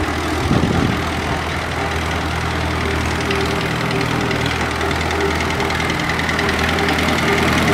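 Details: 1955 Allis-Chalmers WD tractor with a swapped 4-cylinder Kubota diesel from a city bus, about 38–40 hp, started after 5 seconds of glow plug: steady even diesel clatter with no misses; normal running with plenty of power.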